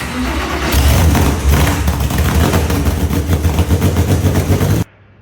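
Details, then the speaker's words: Porsche flat-six cranks, catches and runs roughly with a heavy, uneven knock before shutting off: rod knock, which the shop plans to fix with a 4.1L Hartech rebuild. "Not so good news is [Music] the noise it's making. Yep, that's that's Rodnock."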